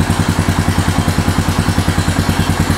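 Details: Neglected Honda Foreman 450S ATV after cleaning, tank drained, fresh fuel on reserve, choke on: steady even single-cylinder thump of about seven pulses a second, no misses or knocks; settled normal idle.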